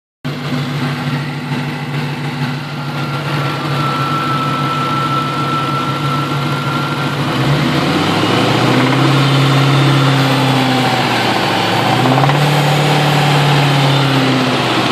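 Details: 2000 Ford Mustang GT V8 idling, then revved several times; a faint rattle rides over the engine as revs rise, only around 2200 rpm, seemingly toward the back of the intake. Cause suspected, not confirmed.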